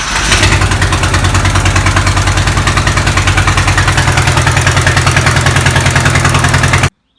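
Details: VW Type 25 (T25) van being rebuilt, cold-start problem of slow cranking, after a battery and battery earth replacement: a brief crank, then it catches and holds a steady, even idle for several seconds before shutoff; starts and runs fine.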